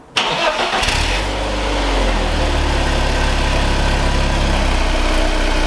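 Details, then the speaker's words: Project car on a fairly cold start, heard at the exhaust, with a new cheap battery: brief crank, catches within a second and settles into a steady, even idle with no knocks, misses or clicking. Normal cold start. "good for the court start huh really good yeah so also in the front everything sounds and we expect it Korean mechanically no clicking noises no clicking noises nothing anything strange"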